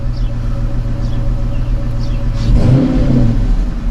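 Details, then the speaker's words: 2011–14 Dodge Charger 5.7L Hemi V8 after new Gates belt, tensioner and idler pulleys: faint high chirps about once a second while revving; squeak persists, owner suspects the airbox, source unknown. "I don't think I fixed the squeak but it is what it is"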